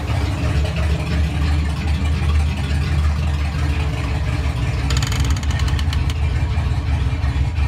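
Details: Fox Body Mustang 302 HCI turbo build, first run after relocating the battery to the rear: deep, steady V8 burble with an even idle, no misses or knocks; running smoothly.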